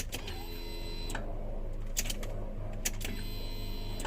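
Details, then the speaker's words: Proton Wira that cranked but would not start: after the fuel pump connector was refitted and secured, key-on gives a steady low electric hum under a few clicks, a healthy fuel pump priming. "Yes, ada bunyi hum dah sekarang. Dengar ya bunyi dia."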